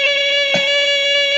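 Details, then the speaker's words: Major Morgan electronic toy organ with a fresh battery, before repair: a single buzzy note holds steady but lands on the wrong pitch, not an octave above the other D, because conductive material under the keypad membrane has worn away. "sounds like me trying to reach that note and it [Applause] certainly doesn't sound an octave higher than this other D"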